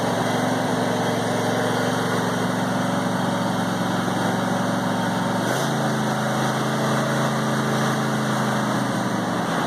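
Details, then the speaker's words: Brand-new John Deere E180 25hp lawn tractor (0.1 hours) idling after its first start on a little fresh gas: a smooth, even beat with no knocks or misses and a slight speed change midway. A normal idle. "let them run for a few minutes just to make sure they're running fine. So started up perfect, which is great to see."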